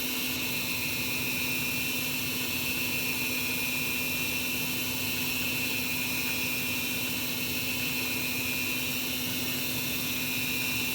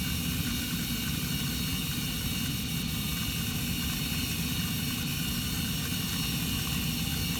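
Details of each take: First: Carrier gas furnace on a no-heat call: steady inducer fan hum with a hiss and no valve click or burner lighting; the igniter had failed so the gas never lit. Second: Carrier gas furnace after igniter replacement and flame sensor cleaning: steady, even rush of blower air with a low rumble from the induced draft and heat exchanger, no rattles or cycling; normal furnace operation.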